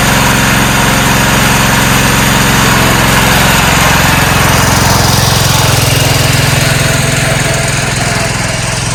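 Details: 1994 Cub Cadet HDS2135 riding mower, unused about 10 years, now running: even, steady putter at a fast idle that holds its rhythm with no misses or knocks. Normal idle.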